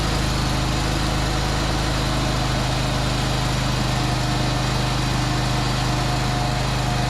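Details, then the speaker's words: Craftsman ZTS 7500 50-inch zero-turn mower, first start on starting spray after spark check. Loud, even engine note with a steady low thrum, no stumbles, pops or knocks; runs pretty decent, slight exhaust smoke noted. "It runs! Woo! Not only that, it runs pretty decent."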